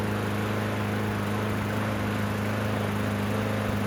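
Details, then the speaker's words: Yard Machines walk-behind mower after drive cable, blade, air filter service and oil check: small engine holds steady even hum at constant speed, no knocks or misses; normal running. "We'll start it up, let it run for a bit, we'll recheck the oil."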